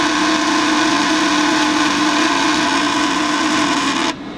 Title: Buzzing sound coming from furnace blower fan